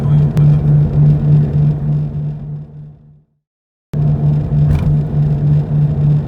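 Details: Toyota 86 ZN6 automatic, 57,000 km, used purchase: while driving, low droning hum pulsing about three times a second through the cabin floor, suspected from wheel area; cause found to be hub bearing play.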